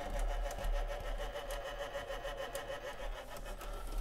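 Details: Soundesign Model 3578 semi-jumbo flip clock radio: thin steady buzz with faint uneven ticking from the small clock motor; very noisy clock motor gearbox.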